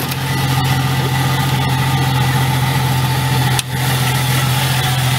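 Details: 1995 Jeep Cherokee at idle, noise from engine bay, faintly heard under dashboard: steady idle with faint constant whirring whine; mechanic says probably alternator bearings, owner plans alternator replacement; suspected alternator bearing noise.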